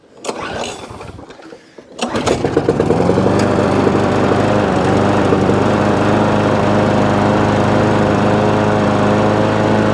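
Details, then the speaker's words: Free scrap lawn mower, cold start after about 10 primer pumps to clear water in the fuel, reportedly not running before: pulls over, fires straight up, bit smoky, then steady even running without missing a beat. "so so straight away fire straight up bit smoky but it's not missing a beat"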